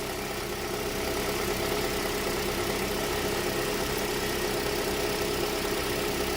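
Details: 2007 Toyota after a crank, no-start fix: starts and holds a steady, even idle with no misses or hunting. Normal idle.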